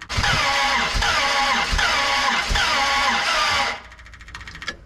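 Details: 1967 Dodge Coronet 500 with a new Mopar big-block V8 cranks at about three pulses a second with coughing puffs back through the carb, no firing. Compression on one cylinder only; valves suspected held open by wrong-length pushrods.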